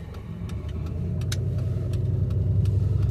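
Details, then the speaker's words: 2005 Chevy Impala while driving, transmission not shifting out of first: uneven stumbling low drone with irregular ticks and pulses breaking the rhythm; engine misfiring, cause unknown. "Let me get this parked. It's definitely misfiring. Sorry if that was loud on the ears."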